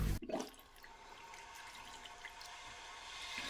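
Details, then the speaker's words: Toilet tank refilling after water turned back on, following flapper replacement with a universal part: sharp rush settling into a steady hiss as the tank fills and the float rises; normal refill. "Well, it won't take too long and this tank will be filled back up with water. And as the water rises, that yellow float will rise too, but it won't have enough buoyancy to pull that flapper up."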